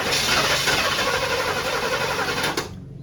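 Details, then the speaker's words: 1979 Camaro Rally Sport, 267 miles, sat 46 years, first start on brake parts cleaner with no fuel reaching the engine yet; it fires, runs rough and uneven for a couple of seconds, then stalls from fuel starvation. "Now, the only way we can get it to stay running was through this brake bars cleaner. But it sounds good."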